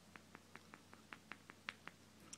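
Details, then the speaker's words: Failed 3300 µF 100 V electrolytic capacitor from a Hitachi P50T501 plasma TV power supply (set won't turn on or half screen blank), shaken: faint sharp clicks about five a second from loose material rattling inside. "I wish you can hear it though if you check it you might be able to hear that clicking"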